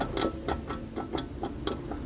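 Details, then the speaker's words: Ford Fiesta front suspension showing visible play: quick, regular clunks, about four a second, from a worn shock absorber mount kit (rubber, boot and top part); the fix is replacing the kit. "Mas t escutando barulho, né? O que que vai ser feito aqui? As troca dos kit amortecedor."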